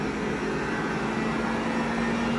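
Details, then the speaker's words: 2021 Jeep Wrangler 4xe plug-in hybrid, 300-volt electric AC compressor in hot weather, seen drawing up to 6 kW: blower lowered from max to speed 1, fairly loud steady mid-pitched whine winding down, no rattle or grinding; normal. "it's still pretty loud right now and you can hear it the duty cycle is starting to come down"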